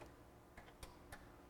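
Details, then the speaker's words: Sony MDP-600 laser disc player at power-on: just a few faint clicks with no motor hum, then it shuts itself right off; mechanism moves freely, power supply capacitors suspected, not confirmed. "I'm certainly not hearing anything like that when I turn it on it's just a click a"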